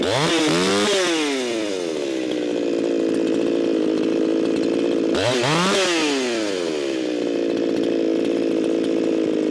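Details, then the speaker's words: Echo 4910 chainsaw, warmed up after long storage, being tuned toward 13,500 rpm: blipped twice then a thin, high, steady scream with no burble at wide-open throttle, jumping to 15,000 rpm; far too lean. "Way too lean. That jumped up to 15,000 RPMs. Way too lean for this here saw. Way too lean for most saws."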